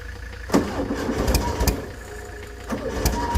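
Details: 1970s Layton roller compactor, Ford Taunus 60-degree V4, fuel pump switched on, good battery: starter churns in uneven bursts and the engine never catches; no start from rusty, corroded ignition points giving no spark.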